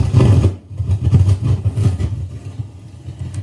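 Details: Behringer B215D powered DJ speaker: static plus deep, uneven bass thumps and sharp crackling pops when the volume level control is turned; scratchy volume potentiometer.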